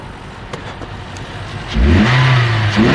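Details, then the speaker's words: Toyota Corolla 1.8L, just restarted after a defective fuel pump assembly was replaced to fix a crank-no-start: quiet idle, then a clean, smooth rise in revs without stumbling; engine running properly. "so right there it starts it's fixed guys I'm going to rev up the engine"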